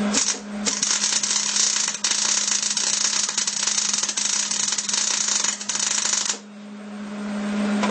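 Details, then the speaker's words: Hobart Handler 210 MIG welder tack-welding horseshoes (not mild steel): harsh crackling arc in choppy bursts with short breaks over steady hum, sputtery because shielding gas line wasn't purged; welds not porous, heat slightly high. "It's kind of sputtery. I didn't purge. Forgot to do that."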